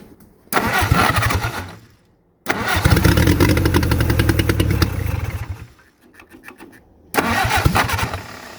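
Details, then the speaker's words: WWII-era Jeep, likely an MB, sitting for years, Solex carburetor: three bursts of steady cranking at about three turns a second, no catch; fuel pump working but fuel not reaching the carburetor bowl, a fuel delivery problem. "The problem is one of fuel delivery."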